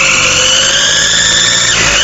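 A loud, piercing high-pitched whine with layered steady tones, the pitch dipping briefly then climbing back: turbocharger whine.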